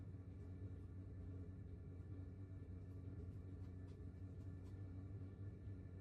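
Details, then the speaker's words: 2kW diesel air heater in 20ft pop-top caravan, outside about 7°C, running settled at level 3 (three green bars), drawing about 0.8–0.9 A from 12V battery: low even rumble, steady hum, no surging or knocking. Normal running. "And it's very affordable as well. It's quite economical running it in the 3 green bars area, which makes sense."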